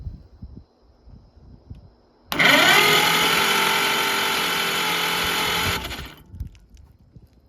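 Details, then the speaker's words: 1941 Oliver 70 tractor, engine previously stuck: starter spins engine fast and evenly about three seconds with no chuffing beat; owner guesses there is no compression; fast cranking. "I didn't even that thing spins it over fast I guess there's no compression on it"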